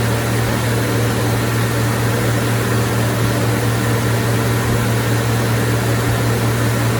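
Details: 1990 Ford F-150 with 4.9L (300) inline-six, started after reinstalling serviced fuel injectors and intake plenum: steady even low hum with no misses, knocks or ticks; ran great, more power, smooth acceleration.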